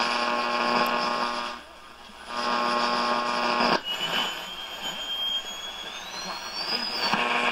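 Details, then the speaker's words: 1935 Silver Bell mystery radio after capacitor replacement; thin whistle over hum slides upward as volume rises on a weak signal: oscillation, being trimmed by alternating the volume and a trimmer cap, after which max volume works without oscillating. "what I'm doing is I'm alternating between the volume and this cap to bring it out of oscillation just to get the volume control louder with a weak signal without it going into oscillation there it goes into oscillation"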